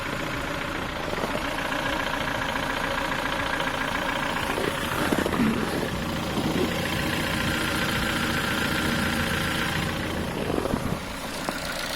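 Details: Ford Focus 3 1.6 125 hp engine: light, quick metallic tapping about three or four a second over the idle, louder cold than hot; caused by a worn piston pin from poor-quality parts, can appear within 10,000 km.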